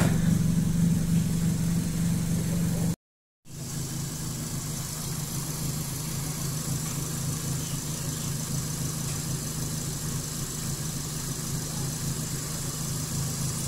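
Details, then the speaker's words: Suzuki Swift after throttle body idle adjustment to fix a high, erratic idle: steady, even low hum with no hunting or surging; the idle has been set to target and is now stable. AC not yet installed. "Oke, selesai ya. RPM udah mantap."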